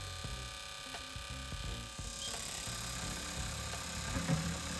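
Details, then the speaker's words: Previously clogged fuel injector, pulsed after penetrating fluid and screwdriver tapping: quiet crisp, fairly quick, slightly uneven ticking as it opens and closes freely again; debris found inside. "So we just kind of take the screwdriver and beat the crap out of it. I can barely hear the solenoid trying in there."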